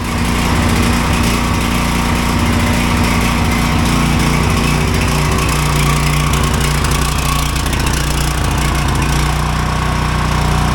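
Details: Neighbor's Ryobi generator, used once then stopped; CO sensor said faulty, bypass wiring failed. After rewiring, most CO-sensor wiring disconnected, kill ground kept, small single-cylinder engine holds a steady even buzz, no misses or surging; running properly.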